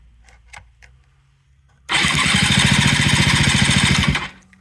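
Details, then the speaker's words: 1983 Yamaha CV80 80cc scooter, flea-market find; starter cranked by jumping two contacts to test starter and engine rotation. Quick even chugging about three and a half beats a second for two seconds, turning over freely: normal starter cranking. "oh yeah look at there it really turns over"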